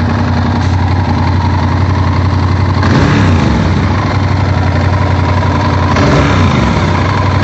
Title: Стук двигателя vtr1000f Проблема решена еще в 2014 году заменой натяжителей ГРМ